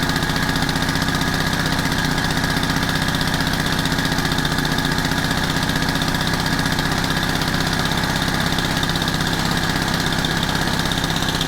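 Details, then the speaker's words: Honda FG110 tiller with GX25 engine after tuning the aftermarket carb, warm, no choke: smooth even idle, throttles up with little dead spot, returns to idle without sputter; slightly rich smell, little smoke; normal. "I think that's perfect. It throttles up nice. Has very little of a dead spot, if any. When you let go of the throttle, it goes right back down to where it should be, and it doesn't sputter."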